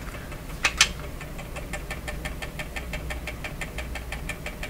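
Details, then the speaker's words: Clairtone console stereo record changer running on high speed; sharp, even clicks about four to five a second over faint hum, clicking suspected related to changer fault, cause unconfirmed: rhythmic clicking at high speed. "so you think that clicking has something to do with what the problem is"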